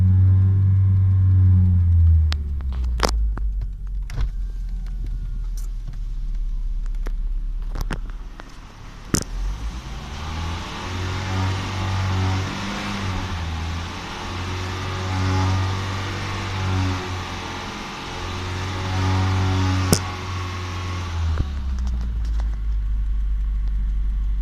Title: weird noise at 3000 rpm outside